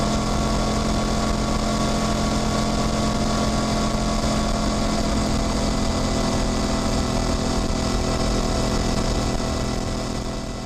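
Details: Motorcycle riding: steady engine drone with chain whir rising with speed, gear-shift clunks and ordinary engine, gearbox and clutch sounds, no grinding. Normal drivetrain noise.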